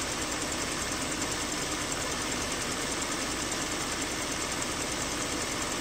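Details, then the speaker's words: Jeep Grand Cherokee 3.6L idling with a light, fast ticking chatter from the front of the engine bay; the belt tensioner was seen shaking and rattling and was removed for replacement. "still drives great not a problem but I just hear that ticking noise I'm going to do some research"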